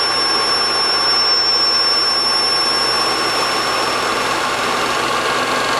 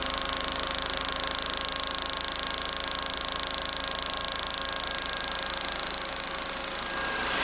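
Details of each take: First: DIY single-quadrant IGBT PWM motor controller driving a go-kart motor, switching at 5 kHz: a steady, piercing high whine over the motor hum. PWM switching whine from both the controller and the motor. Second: DC motor rated 1725 rpm at 24 V, fed 48 V through a DIY IGBT PWM controller at maximum throttle: steady high whine over an even hum, no knocks or roughness; running cleanly at full speed, controller and capacitors stay cool.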